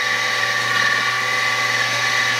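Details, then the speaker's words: X2 mini-mill (CX605) at high rpm with the motor mounts loosened and the motor being moved: a steady high-pitched whine. Poor motor-to-gear mesh makes the gears sing loudly. "as i'm running this if i move around the motor you'll hear that i can improve or make worse the gear meshing"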